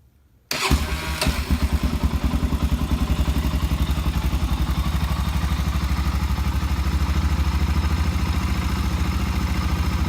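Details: Bone-stock 2006 Honda TRX 400EX quad, valves adjusted to spec and carburetor cleaned, cold start: catches first try, then a steady even single-cylinder thump with no knocks or misses; normal cold start and healthy idle.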